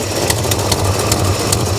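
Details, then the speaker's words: 1969 Chevrolet Chevelle SS V8: lumpy idle with a sharp hissy tick about twice a second over the rumble; a small exhaust leak heard somewhere up front. "i hear a tad bit of an exhaust leak nothing too nothing too crazy"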